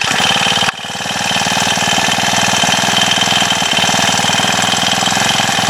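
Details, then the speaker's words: Honda FG110 tiller, small 4-stroke engine, cold day, not warmed up. Quick, even chuffing with steady firing and no misses or knocks. Normal running. "Yeah, you get the point. I'm not going to sit here all day and let it warm up, but It's a cool little tiller."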